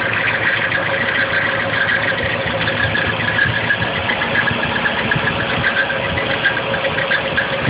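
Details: Nissan KA24DE at idle, located with a 3/4 inch hose to the front timing cover: light, fairly regular tick above the engine hum; owner suspects timing chain though chain was fairly tight, maybe the guides; ticking noise from timing cover at idle.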